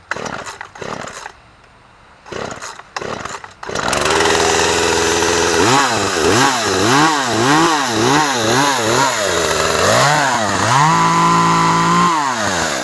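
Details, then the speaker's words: Poulan P3314 14-inch two-stroke chainsaw, unused for years, previously no-start (likely primer bulb not pushed enough): fires up, revs climb and fall with each throttle squeeze through cuts of small sticks; smooth strong revs, running healthy. "but it seems to be running good. As you see, it cut those little sticks, no problem."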